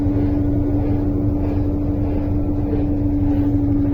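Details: Electrolux LTE12 washing machine, previously making loud noise, with the motor reinstalled after repair: a steady, even hum with a smooth low rumble and no grinding or rattle, so the motor runs normally.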